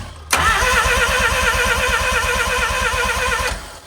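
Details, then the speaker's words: Mazda RX-7 rotary, cheap project car, first attempt to get it firing with broken, mangled wiring: starter spins it steadily at three to four pulses a second, never catches; no ignition wiring apparently connected, suspected no spark. "cool well so we know it's spinning at least now we're gonna check well yeah I think like I said there's just there's no real wires connected to anything that would indicate like an ignition"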